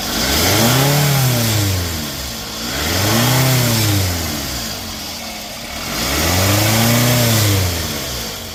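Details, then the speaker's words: 2nd-gen Scion xB engine after repair of loud hissing and loss of power on acceleration: three clean throttle blips rising and falling smoothly to idle, no hiss or hesitation; slow throttle response gone. "all right guys so that was the problem um I'm not getting that slow uh throttle response anymore"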